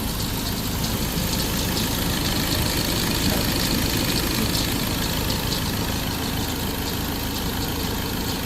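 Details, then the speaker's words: Ford 2.0 Bi-turbo diesel at 150,000 km, after a third injector repair following pump debris damage. Injectors may be hot and water is about to be used to cool and quiet them; the remaining clatter is normal engine noise and belt sound. Steady, even warm idle with no misfire or knock. "บางทีหัวฉีดมันร้อนอยู่เดี๋ยวเอาน้ำเข้าไประบายความร้อนก่อนนะครับเสียงมันก็จะเงียบลงแต่เสียงแฟดๆๆนี่มันจะเป็นเสียงของเครื่องยนต์นะครับ"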